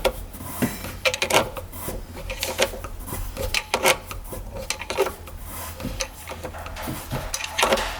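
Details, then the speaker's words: 1995 Tigershark jet ski that had not run in 20 years, turned over by hand: slow, irregular gritty crunches and scrapes from the impeller, which later looks good and is unbroken. "Hear the impeller crunching."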